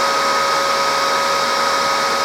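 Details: Resanta 190K inverter welder powered through a bulb, transformerless standby supply; steady fan rush with two thin whistles, fan speed changing; owner suspects two zener diodes in the standby supply, later replaced: fan speed fluctuating.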